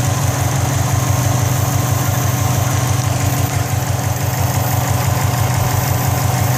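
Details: 2004 Subaru WRX at idle: loud idle with a quick metallic rattle, about three per second, from the turbo area, where smoke is also coming from. Cause unknown.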